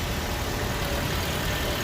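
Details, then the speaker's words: 2014 Nissan Sunny after IPDM repair for A/C compressor not working: steady idle under a constant airy whoosh and faint hum, no knocks or squeal; A/C compressor now engages and runs. "Compressor चालू हो गया है।"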